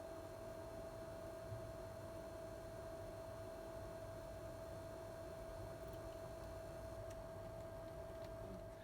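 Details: PlayStation 5 running a demanding PS5 game: a steady, thin whine at a fixed mid pitch over soft fan hiss; coil whine under load, which the owner believes all PS5s have, barely audible with PS4 games.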